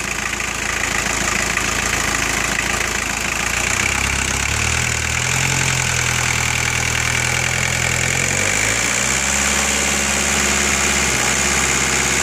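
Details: VW AAZ diesel engine, injection pump briefly gummed from sitting then cleared, probably needs carbon blown out: steady idle clatter with smooth even beat, no heavy knock; turbo not heard spooling and has excessive play; normal idle.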